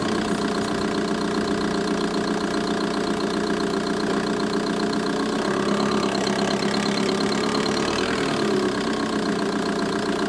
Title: Vw Bora 1.9 TDI ticking sound engine bay